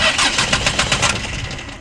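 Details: Land Rover Perentie 6x6 ambulance that wouldn't start, after a fix: quick rhythmic cranking pulses, about eight a second, that catch and settle into a running engine; it now starts normally.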